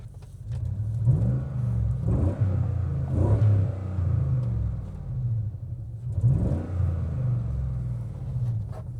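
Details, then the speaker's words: 2012 GMC Yukon V8 just revived, running on fuel a year to a year and a half old with the exhaust cut off: deep rumble swells with throttle blips but stumbles and surges unevenly; rough running, owner suspects the old fuel and possibly plugs. "It runs it runs half decently for year old fuel. So it doesn't run very well and it stutters and spitters a little bit."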